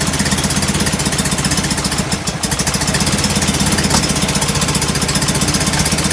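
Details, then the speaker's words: Enlarged performance VW air-cooled carbureted engine with larger air filters: lumpy, uneven idle at about four beats a second with throttle blips, still puffing hard; running rich, idle jets suspected too big. "i was hoping the bigger air cleaners and the bigger motor would bring the idle around but it's still puffing pretty hard on the idle"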